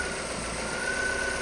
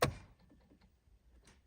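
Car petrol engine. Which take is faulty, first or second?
second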